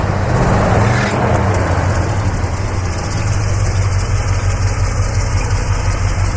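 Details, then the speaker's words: 1965 Chevrolet Custom C20 pickup V8: even deep idle, then a quick throttle rev that rises and settles smoothly with no knocks or rattles; a possible slight exhaust leak suspected, unconfirmed. "you know it sounds nice and uh so I just wanted to let you hear it run you know no noises or anything like that it actually sounds pretty good"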